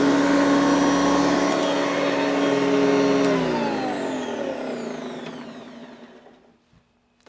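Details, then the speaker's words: Hoover Decade 80 convertible upright vacuum after repair: smooth high motor whine holds steady, then winds down evenly when switched off, no rattle or scraping; normal running. "good not the best but it's good enough uh that'll probably get better with a little bit of use"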